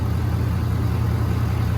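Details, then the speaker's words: 2017 Ford Powerstroke diesel pickup after fuel filter change, priming four cycles and restart: steady low diesel clatter at idle, even pulses with no misses, knocks or hunting; healthy idle. "gonna let mine idle for a little while and make sure all the air is worked out of it make sure that there's no leaks coming out of any of the uh high pressure lines"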